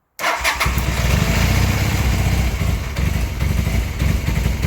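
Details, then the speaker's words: 1984 Honda CB450SC twin during carb sync with homemade vacuum gauge, after carb cleaning: starter spin, then ragged low sputter struggling to settle, barely staying lit; hard start, carb adjustment needed. "so you can see it draws it down pretty quick look at that it just sputtered it didn't even really start that well"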